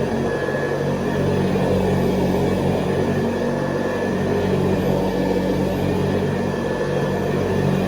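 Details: 1970s Hoover Convertible upright vacuum, recently rebuilt, re-lubricated and cleaned, with new bristle strips and a 12-blade metal fan, on high over low-pile carpet: an even, steady motor hum with a faint high whistle, no rattles or speed dips; normal, healthy.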